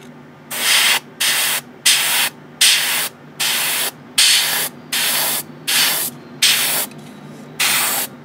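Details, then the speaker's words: New Gaahleri GHAD-39 Advance airbrush painting an old kit at low compressor pressure, about 15–20 PSI: short even bursts of fine hiss about every 0.75 seconds over steady compressor hum; clean smooth spray. "is it is very smooth I don't have to say that for certain and I'm using a very low pressure here about 20 about 15 PS SI"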